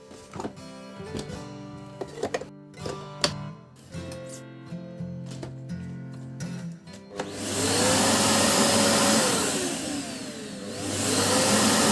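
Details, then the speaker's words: Samsung SC8870 vacuum cleaner after its stalling VCM-M30AU 2400W motor was replaced: speed is lowered from the remote, the motor whine sinks in pitch, then climbs back and holds steady; speed control and turn-off work normally. "Let's check the remote. Decrease, increase, turn off... Everything is fine."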